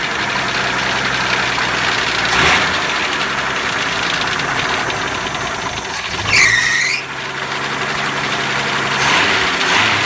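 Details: 1981 Jeep CJ7 4.2L 258ci, supposedly newer rebuilt engine: uneven idle with dull tapping under the engine note and a brief squeal; mystery knock, suspected beginning rod knock or spun rod bearing, unconfirmed; drained oil showed nothing concerning.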